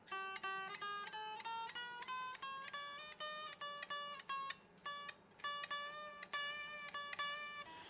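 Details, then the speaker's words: Ibanez electric guitar shipped with very low factory action and uneven frets, wonky after the third fret; single picked notes give a bright, rattly, sitar-like buzz as strings slap the frets: fret buzz. "Is that going to give us any buzzing? Hear that? Oh, it sounds like a sitar."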